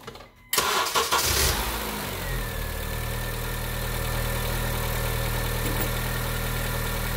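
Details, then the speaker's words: 2010 Honda Civic 1.8L gasoline automatic after replacing the bad cylinder 3 coil (P0303 misfire): brief crank, then a smooth, even idle with no misfire. "Well, as you can see, we don't have a violent misfire anymore, and this thing's actually running quite well."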